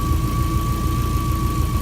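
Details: Subaru-powered Kombi with new EJ20 rear engine, started first time: even low rumble with a steady pulse and faint constant high tone; smooth, healthy idle.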